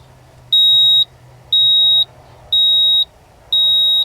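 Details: 1987 Ford F-150 inline-six that ran rough after warm-up on a cold morning: four clear high beeps, about half a second each, one per second; code reader counting out a stored trouble code.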